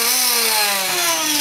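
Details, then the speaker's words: Bell CPX good-condition motor (RC heli) driven by the R6 build's speed controller, testing whether controller or the 3800KV R6 motor is faulty; clean steady high whine easing slightly lower, no rattle or stutter, running smoothly, so the controller works. "I connected the speed controller from their sex to the the other motor and as you can hear it will run smoothly no problem"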